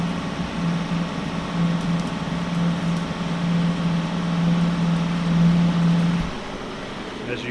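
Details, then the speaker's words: Lathe cutting a corner radius with a matched tool bit in a large 10-inch-bore bearing plate: a steady low hum rings through the cut for about six seconds and stops as the tool leaves; tool chatter, later slowed to 30 rpm. "so I'm going to use this to go in there and cut that corner radius just like I need probably gonna deal with some chatter issues here"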